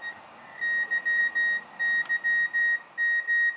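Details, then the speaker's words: Rockmite51 clone 40 m CW transceiver transmitting its memory message, received on SDRplay tuned to 7.025 MHz CW: clean high tone keyed in Morse dots and dashes, no chirp or drift; normal CW transmission. "So here let's transmit that sequence again. Transmit whatever is in memory. this switch right here."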